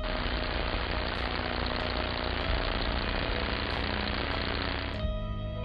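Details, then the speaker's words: Ultrasound electrical inspection of a transformer: dense rapid rattling buzz over a steady low hum, the chattering pattern of mechanical looseness and vibration. "ultrasound can be used for electrical inspections at all voltage levels low medium and high we can detect issues like corona partial discharge or tracking arcing mechanical looseness on transformers"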